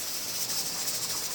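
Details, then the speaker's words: Pressure canner processing carrots, jiggler weight rocking at 10 pounds on a stove at medium-high: steady steam hiss with a soft rocking rhythm that has slowed and quietened after turning the heat down; the correct pressure is being held. "hey listen to it it's slowed down and it's gotten quieter and that right there is the the pressure that you want to keep it"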